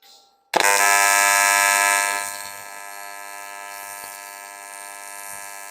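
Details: YesWelder CT2050 AC TIG welding aluminum, tungsten size unchanged, after dialing in settings that had run too hot: sharp strike then a steady even buzzing hum with fine hiss, no sputtering. Clean, stable AC arc.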